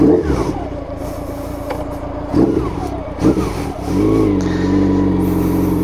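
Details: Honda CB750 brat-style four-cylinder, first ride out after carb tuning, recorded riding aboard: smooth, even note rising and falling cleanly with throttle over road noise, no stumble or popping; carbs well balanced.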